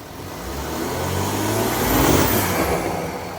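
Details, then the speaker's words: VW Touareg after lift kit, subframe spacers and snorkel install, revving with the mass airflow sensor now plugged in correctly: smooth rev climbing and easing back, clean with no stumble, healthy response. "that's what it sounds like when the mass airfow sensor actually works"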